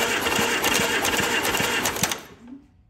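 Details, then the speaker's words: 1944 Allis Chalmers B tractor on external battery, in neutral with all spark plugs removed, after starter drive gear replacement: starter turns over sluggishly with regular thumps about four per second; owner suspects high compression, valve train to be checked. "well i'm going to stop what i'm doing i do not want to keep cranking this over with that high compression going on"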